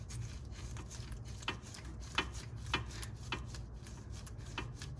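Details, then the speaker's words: Lexus LS460 front passenger side suspension rocked by hand during tie rod end replacement: sharp, irregular clacks, a knocking at a lower bushing/joint that causes the front-end knocking noise. "hear it knocking on the the bushing down here so that was another part of what I was trying to fix was the kind of that knocking noise on the front end"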